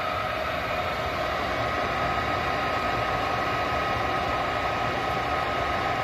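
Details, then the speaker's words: 90% gas furnace with a no-heat fault, fired up after the gas valve was replaced and air purged from the line: a steady, even whoosh of burner and draft fan with a faint constant tone, firing normally. "it'll probably probably try two three four times before we get the air purge out and uh yeah once we get gas to it she should be should be rolling along"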